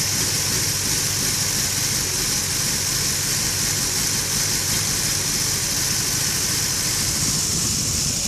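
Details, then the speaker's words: Lexus IS300 with code P1349, warm engine (fine when cold) at idle with a little throttle: exhaust chuffs unevenly with dropped beats under steady hiss, engine shaking badly. Rough idle with misfire. "Like I said, cold, it starts up normally, idles fine, but once it warms up, this is what it does. A little gas to it. Misfiring. Shaking quite bad."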